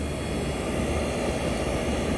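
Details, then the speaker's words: 1965 Fedders Weatherwheel air conditioner on high cool, Tecumseh AJM compressor running with the fan on; the fan motor was cleaned out to clear its vents. A steady, even rushing hum with no knocking, rattling or start clicks: the compressor runs normally. "This is the Tecumseh AJM compressor running."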